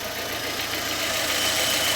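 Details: Fiat Fire petrol engine idling after replacing the noisy timing belt tensioner bearing: steady, even hiss with no bearing whine or rumble from the belt area.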